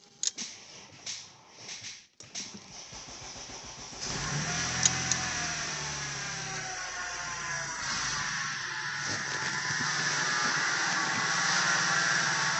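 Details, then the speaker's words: C7 Audi A7 (also has a dead battery) idling with a steady high whine over smooth idle after some handling clunks; suspected water pump or supercharger idler pulley, not confirmed. "I believe that is your water pump."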